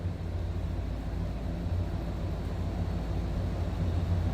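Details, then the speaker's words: 1973 Chevrolet C10 Fleetside with 56,216 miles shown (unconfirmed), a smooth runner; deep, steady, even burble at idle with nothing rattling or ticking. Healthy idle with an unremarkable exhaust. "think sounds good. Nothing crazy for the exhaust."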